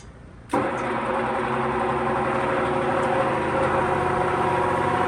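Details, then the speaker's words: 1948 Emerson Electric 30-inch pedestal fan, model K60-TC, on high speed: loud whir with dense chattering rattle; owner suspects thrust/spring washer or shaft bearing noise, not yet fixed; loud rattle at high speed. "But yeah, as you can hear, it makes a lot of racket on high speed."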